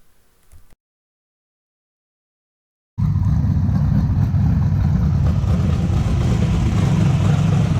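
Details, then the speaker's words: 434 cubic inch Chev twin-turbo methanol V8 jet sprint boat, rebuilt with new rods after a failure wrecked both turbos: deep, even rumble, no knocks or misses; normal running after repair. "I woke up to the sound of it running which was which was a good sound so the we had a bit of a disaster but we've sorted that out"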